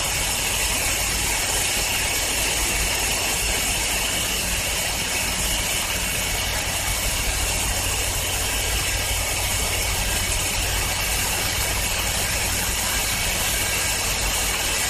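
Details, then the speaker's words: 2007 John Deere LA110 lawn tractor, cold start after a tune-up with fresh 90-octane gas and carb cleaner, mower deck engaged: a steady, even engine drone with the deck whirring on top, no knocks or hunting. "This will be a good cold start test and a test to see if the blades will turn and what the deck sounds like."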